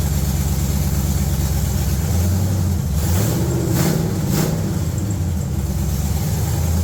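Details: Budget G-body El Camino with a Gen 3 LS engine on a $90 Amazon standalone wiring harness, after earlier failed attempts to run it reliably and throttle-body tweaking: deep, even V8 idle, steady apart from a brief blip, no hunting or surging; normal idle.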